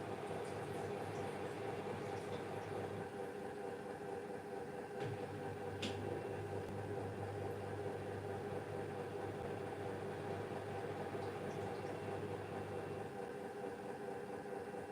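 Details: Hisense WFQP9014EVM front-loader spinning a 13.5 tog duvet: steady low humming drone with faint clicks and metallic rattle attributed to bearings, plus some belt noise; droning hum during spin, bearing wear suspected.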